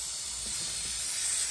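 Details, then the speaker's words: BMW E36 with LS swap (LQ4 6.0L) and a BorgWarner 72 mm turbo, engine off, under a homemade boost leak test: steady high airy hiss from the new blow-off valve, whose O-ring was not seated; reseating it fixed the leak. "as soon as i put it on i can already hear something over here it's actually coming from the blow-off valve so i'm just going to make sure i have it on correctly i can hear the boost leak"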